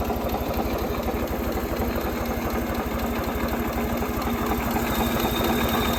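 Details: Ford 2600 tractor after valve adjustment (one previously stuck valve freed): steady even idle, much quieter, with light regular tapping under the valve cover, not like before.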